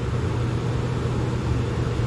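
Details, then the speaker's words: Trane XE 90 furnace after replacing its faulty control board with a White-Rodgers 50A55-843, testing the air conditioning. Steady, even low hum with smooth airflow and no rattles or squeals. AC and blower fan running normally. "Yeah, I can hear the air conditioner running. Fan cut on."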